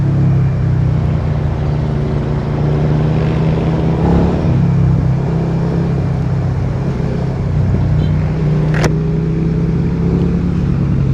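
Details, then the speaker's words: Suzuki SV650 twin riding after reinstalling the catalytic converter: bassier and quieter than without it, still snatchy. Deep, mellow exhaust rumble swelling and easing with throttle, no harsh crackle or rasp; normal exhaust note. "Pero sa tunog talaga, mas bassy siya,"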